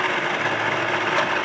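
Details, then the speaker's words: DVD player playing a library DVD with an RFID sticker over its label: loud steady whirring grind as the disc spins, as if eating the player. Every sticker-covered disc tried does this; owner suspects the stickers unbalance the disc. "Popping, oh, what is that noise? What is that? It sounds like it's eating my player."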